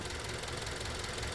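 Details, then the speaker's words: Two-year-old Hyundai Grandeur HG, noise began past 5,000 km: rapid metallic ticking knock over the idle, dry intermittent rattle clearly distinct from a quiet car, consistent with piston slap. "조용한 차와 비교하면 딱딱딱 끊겨서 들리는 소리가 명확히 구별됩니다."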